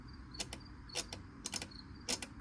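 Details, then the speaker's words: 1994 Chevrolet Camaro Z28 cooling fan relay bench-tested with power applied: crisp paired clicks about every half second over faint whine; relay engaging normally, continuity checks pass. "positive to positive um negative right here and you should hear it clicking."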